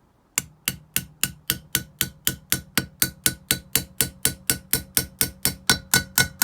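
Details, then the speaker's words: Opel Z20LET cylinder head rebuild after head gasket failure: light even metal taps about two a second on a valve stem seal; the note softens to a nice soft note once the seal seats fully on the valve guide. "and there you go that's the note change you're looking for basically you'll hear it again on this one so it's nice soft note and there you go and that's sealed"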